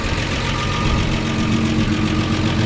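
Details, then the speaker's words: 1953 Chevy 4100 truck, first start after sitting, idling on its own with oil pressure: steady, even idle with a slightly raspy exhaust note from a sizable exhaust leak, no knocking and no smoke; old engine runs well. "no smoke that's the way these things sound i know it probably sounds noisy to you but that's the way they are that's awesome back inside here it actually sounds really really good"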